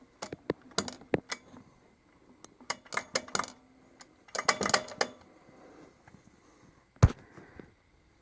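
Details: 2009 Kawasaki Brute Force: irregular sharp metallic clunks and clicks in bursts over a faint running drone; clunking noise.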